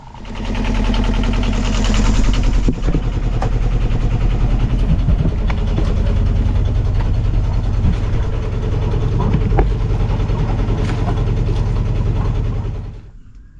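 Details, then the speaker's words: Sailboat diesel with water-contaminated fuel, after fresh fuel was added; warmed up one to two minutes, then in gear at part and medium throttle: steady, even low chugging with no misses or hunting, running normally. "that seemed to work pretty well um I put it in gear after I warmed it up for maybe like a minute or two and then I put it in gear and I revved it"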